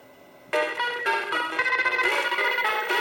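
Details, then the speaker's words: Mappy arcade PCB with old RAM in 3K (good RAM moved to 3L): harsh scrambled tones and crackly chords; either old chip in 3K sounds terrible, possibly too slow because aged. "I tested this one. It sounded bad, so I moved my good RAM to 3L, and either one of these in 3K sounds terrible."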